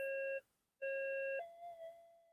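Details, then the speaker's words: Minelab GFX-7000 clone metal detector after repair and modification, following a frequency scan: a few scan beeps, then a faint, even threshold tone with no crackle or chatter. Much quieter and stable than before. "So, how's that for noise? That's heaps better."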